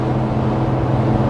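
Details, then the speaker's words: Toyota 4Runner on Goodyear Duratrac 285/70R17 tires with about 25,000 km of wear, at highway speed. A steady low howl and drone over road rush, typical off-road tread noise that gets louder as the tires wear; the microphone makes it sound worse. "so what you're hearing right now you can definitely hear the tires howling um but basically it does sound like a truck with off-road tires on it you know um that's to be expected though"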